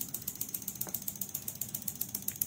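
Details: Fuel injector on homemade 5-pin relay injector/pump tester, bench, set near 1500 rpm idle pulse: crisp, even ticking about seven to eight per second; injector opening cleanly, healthy.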